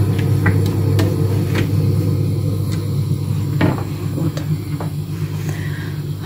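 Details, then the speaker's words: Home boiler hidden in a kitchen cupboard, heating running: low steady hum with cupboard knocks and handling clicks over it. Normal drone; in warm weather heating is switched off and it fires only for hot water. "его не видно чтоб никто не догадался вот так вот так что Ну а гудит всё равно вот особенно когда я снимаю"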